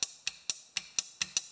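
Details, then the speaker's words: Generator key and starter circuit under repair: with the black wire grounded and the battery's red 12 V lead applied, the relay gives seven sharp, dry clicks in under two seconds at uneven spacing. It switches normally. "so then we take the battery the red which has 12 volts on it believe me and this operates the relay which then in turns allows the high current to go from this side to this side from this side to this side you hear that"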